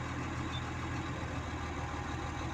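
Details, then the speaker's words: Komatsu D65EX bulldozer diesel idling steadily with no knock once cylinder 5, with the leaking injector, is cut out via the cylinder cut-out menu; the injector knock stops. "перестала стучать в пятом цилиндре форсунка влез"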